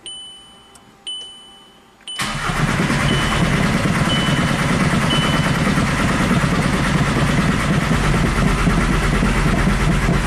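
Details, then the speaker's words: VW Jetta TDI after engine swap, cam position sensor plugged back in and codes cleared: a few beeps, then steady starter cranking about four beats a second that never catches; no injector pulse, fuel pressure 20 psi, P0341/P3007 cam sensor codes; crank no start. "no injector pulse we're still at 20 psi so not worried about fuel pressure"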